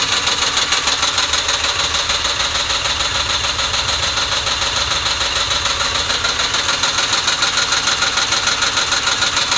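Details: 2006 Ford Mustang GT V8, warm idle after warm-up: fast, fairly even ticking pulse over a hissy top end, unsteady feel; rough idle, cause unknown.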